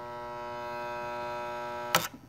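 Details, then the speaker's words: Keurig K150P coffee maker, solenoid valve plugged in: steady electrical buzz for two seconds, then sharp snap as valve closes; valve sticking from some hang-up inside, board suspected faulty. "so there's some hang up in there that's causing the valve to get stuck"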